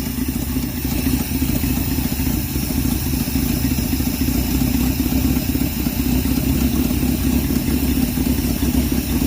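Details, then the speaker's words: 1968 Dodge W200 Power Wagon, 383 big block V8, 4-speed, freshly revived: idles with a rapid, uneven puffing chuff over the low rumble, pointing to an exhaust leak. "that's way better except for that awesome exhaust leak I know you like those yeah"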